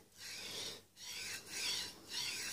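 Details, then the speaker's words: Cheap linear bearing for a DIY 3D printer, slid back and forth along its shaft: scratchy rasping rub on each stroke; likely dirt inside the bearing, fixed by cleaning and greasing. "yeah I think I think there is dirt in that bearing that's fine now cleaning and greasing that's the solution here"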